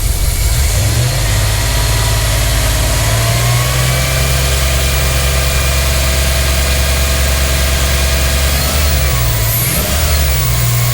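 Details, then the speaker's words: Dodge Dakota 5.9L 360 Magnum V8 after replacing bad rod bearings that caused a knock: smooth, even, deep idle with no ticking or knocking, after running about 20 minutes with good oil pressure. "nothing sounds healthy as ever okay guys so we ran the engine for probably about 20 minutes and she is perfect no issues no weird noises now"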